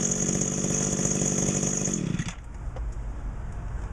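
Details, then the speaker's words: Mid-1990s Echo GT2000 two-stroke trimmer, warm start in about 90°F heat, replacement carb fitted about 2 months, sat outside 3 weeks: crisp even buzz for two seconds, then shut off and winds down cleanly; runs great. "Again, it's been sitting outside for 3 weeks or so. Runs great, and can't beat it."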